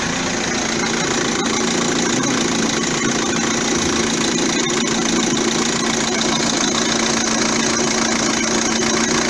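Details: 2009 Vauxhall Astra diesel after alternator and auxiliary belt parts replaced to cure a belt squeak: steady, even idle with a smooth quiet hum, no squeak or chirp from the belt; normal idle.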